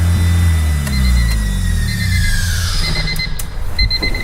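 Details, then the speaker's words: Turbocharged Honda D16 idling high at around 3,000 rpm with a steady thin whistle from the intake manifold area; the whistle quiets when brake cleaner is sprayed at the throttle body, pointing to a big vacuum leak there that needs addressing. "So big vacuum leak that we need to address."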